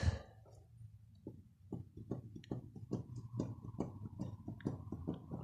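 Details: 139QMB scooter engine (Khors 051) removed and torn down, crank rocked by hand on a quiet bench: sharp clicks about twice a second, excessive crankshaft play from a worn crank; owner fears crankcase damage.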